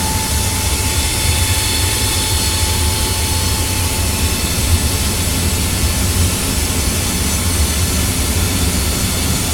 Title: Annoying furnace noise